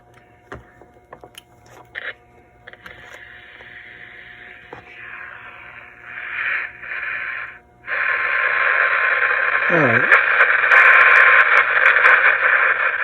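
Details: 1962 Emerson 707 transistor radio running on a 3.2 V supply. Hiss and crackle, then an AM station comes through clear and steady with a little static. The radio works normally on the low voltage.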